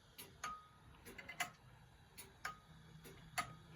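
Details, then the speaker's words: Antique grandfather clock on test, beat picked up by a clip-on pickup and guitar amplifier near the strike; soft alternating tick and tock about one per second, evenly spaced, an even tick-tock; clock in beat. "Now, to me, that sounds pretty close. You've got a more of an even tick, tock, tick, tock."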